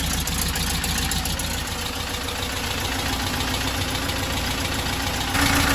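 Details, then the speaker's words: 1968 Porsche 912 air-cooled engine just reinstalled, valves set at 0.004 in intake: busy, uneven clattery idle pulsing three to four times a second; rough idle, carburetors to be removed and rebuilt hoping to cure it. "carburetors off i'm gonna have them gone through and rebuild so yeah hopefully this is gonna cure the funky idle issue and just overall help this thing run"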